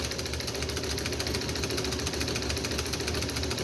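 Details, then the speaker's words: Wico XH magneto from a John Deere two-cylinder tractor, on a tester after overhaul: steady fast snapping of the impulse coupling, crisp clicks with a buzz; the magneto is firing a strong, even spark. "uh you'll feel that you'll you'll hear the impulse clicking uh but hopefully we should see a nice blue spark right there and right there"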